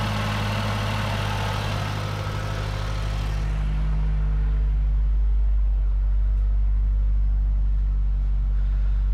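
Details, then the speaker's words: 2008 Mazdaspeed 3 at first start after installing CorkSport high-pressure fuel pump internals: steady, even low idle with a smooth rhythm, no knocks, ticks or hunting; running cleanly. "she sounds good"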